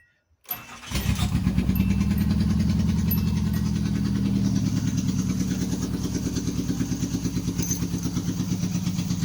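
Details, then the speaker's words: 1988 Nissan Sentra E16i after a new injector was fitted, previously stalling when the gas was released, owner suspecting the throttle position sensor or low fuel; cranks briefly, catches cleanly, then settles into an even, steady idle with no misses; normal start and idle. "Very smooth, it's running."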